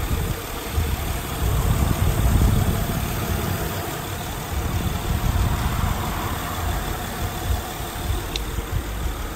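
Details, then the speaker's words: 2008 Honda Odyssey V6 at about 212,000 miles, idling after the front two camshafts and rocker arms were replaced; smooth, even low idle with no ticking or knocking, a healthy engine. "this is exactly what a healthy 2008 Honda Odyssey you know there's a lot of other makes and models that have the same motor but this is what it should sound like"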